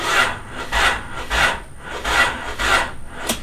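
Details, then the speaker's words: Honda Del Sol project car abandoned for years: slow dragging starter cranking about once every half second with no catch; battery dead and won't hold a charge after one recharge, believed bad. "so the battery is dead now I have tried to charge it once and it won't hold a charge so I'm pretty sure it's bad"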